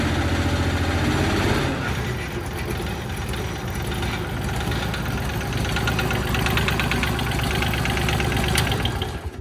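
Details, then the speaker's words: 20 hp diesel engine on a home-built vertical log splitter with 28 gpm hydraulic pump, not full throttle: after revs drop it settles into uneven lumpy knocking about four beats a second; runs rough after sitting months, previously ran perfect, cause unknown. "So it sounds like shit. Yeah, it doesn't But- sound good. It's not. We're pretty bummed out."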